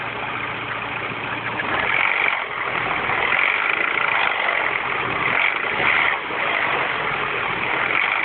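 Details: Mini Cooper S R56, cold morning start after a timing chain tensioner change: cold idle with a thin, hissy mechanical noise and faint recurring high chirps; source unclear, engine noise when cold.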